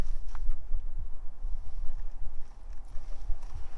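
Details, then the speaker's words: 1992 Ford Mustang GT Foxbody convertible: irregular dull thumps every half second with no engine note, a door lock actuator cycling lock and unlock by itself; wiring fault suspected, possibly mice, alongside dead speedo and erratic tach. "sounds like it's trying to lock and unlock itself maybe there's more mice in the damn"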